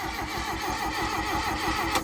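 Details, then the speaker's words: Mk1 Volkswagen Golf, long-stored paddock find with no distributor fitted, on a large 845 CCA battery; a sluggish, steady churn of starter pulses at about six or seven per second with no firing; the engine cranks slowly. "diesel golfs need like a 440 CCA battery this is an 845 it's a big battery and it's still cranking slow"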